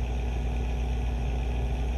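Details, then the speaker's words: Acer Nitro 5 laptop at idle before CPU and GPU fan replacement: low, even rumble that gets louder as fan rpm rises; worn cooling fan. "it sounds like a small rumble when the pc is idle as soon as the rpms pick up it starts to get louder and more noticeable"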